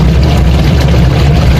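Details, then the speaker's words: Washing machine during spin: heavy rough low rumble like stones being ground, from a worn gearbox; check by shaking the pulsator for play. "Problema niyo ba ang inyong machine na kapag pinaikot eh ala mo may ginigiling na bato o kaya iniixer? Oras na para i-check ang inyong gearbox."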